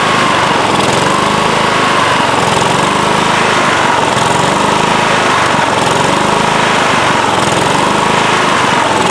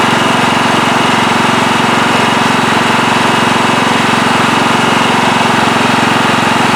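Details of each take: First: Late-1990s Scotts lawn tractor, single-cylinder Kohler engine, run after sitting a few years: speed swells and sags every few seconds as the governor arm hunts; surging, carburetor to be cleaned, likely lean varnished carb. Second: Late-1990s Scotts lawn tractor, single-cylinder Kohler engine, after carburetor cleaning to cure surging: even, steady engine beat at low idle with no hunting, running smoothly, perhaps a slight hiccup remaining; normal running.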